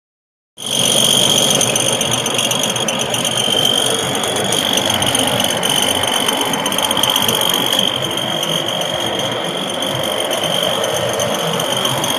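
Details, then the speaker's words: Ford F-150: a steady, high-pitched whine over the running engine that does not change. The owner cannot locate it but suspects the transmission. "I can't tell where that noise is coming from. Sounds like it's coming out of the tranny."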